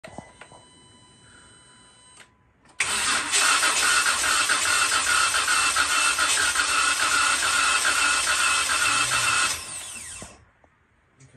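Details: 2018 Jeep Wrangler JK 3.6 Pentastar V6 after full rebuild for sludge at about 36k miles: starter turns steadily about two beats a second for seven seconds, never fires; crank no start, spark present, starter speed suspected.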